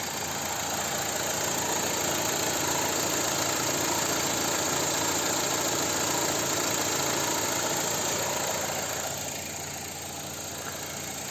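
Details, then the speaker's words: BMW 318, 2006, 95 kW petrol, manual, 167,000 km, idling with the microphone held close under the bonnet: an even, fast valvetrain patter with no irregular knocks and no smoke at start; the engine sound is entirely normal. "Ja ma panen lähemale, siis saab kuulata mootori häält. See on täiesti normis"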